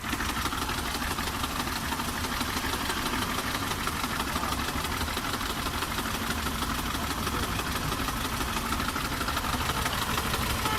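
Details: Car engine knocking at idle; steady tapping about three per second over the idle, source suspected but not confirmed.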